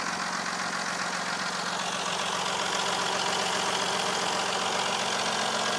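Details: A 3.0 CDTI Z30DT diesel idles with fast, even metallic clatter just after an oil change to Mobil1 0W-40 and a new timing belt with tensioners. The owner asks whether the clatter is now within normal; the cause is unknown.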